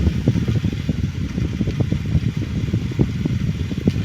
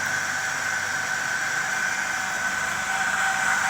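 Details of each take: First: Blower fan salvaged from a Hunter heater, after rewiring, cleaning and servicing: spins up to steady low whir with soft airy flutter, no scraping or squeal; runs much better than before. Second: Small blower fan salvaged from a Hunter heater, windings intact, first power-up after rewiring: even whirring hum with thin whine and faint wobble from slight imbalance; runs but likely needs cleaning and oiling.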